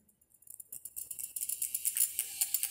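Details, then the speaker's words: 2004 Thai-made Pioneer DEH-1650 CD radio with added internal Bluetooth board, in Bluetooth mode with volume raised: thin high chattering hiss of rapid ticks from the Bluetooth board, disappearing once a phone is paired. "possível ouvir nos alto-falantes que são ligados na saída de som do aparelho um ruído da placa Bluetooth. Esse ruído desaparece assim que é feito o sincronismo com a fonte geradora aqui, que no caso é um telefone celular emparelhado no Bluetooth."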